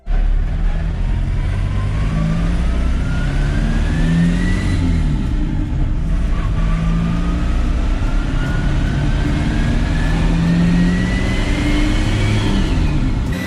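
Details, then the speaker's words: VW Polo TDI, clutch and refurbished gearbox just refitted: loud whine climbing with road speed, dropping at the gear change and rising again, like straight-cut gears; a gearbox bearing was later found to be shot despite the refurb. "so as you can hear from that uh it had a massive whining sound to it almost sounding like a can i say like a radical with straight cut gears it's whining on the gearbox"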